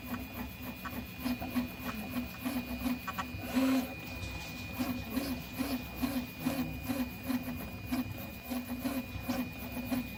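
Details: Prusa i3 MK3 3D printer: a rapid, repeating chirping squeak as the head travels, heard during 2 of 3 perimeters, over quiet motor hum. Cause unclear. Squeaking noise during movement.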